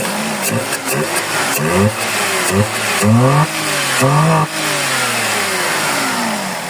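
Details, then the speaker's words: Suzuki Celerio with misfire complaint, after PCV valve and grommet replaced and valve clearance checked OK; engine speed keeps surging up and dropping back every second or so instead of settling: fluctuating idle, problem persists. "Ayan oh meron pa rin siyang problema Ayan oh nagbabago-bago"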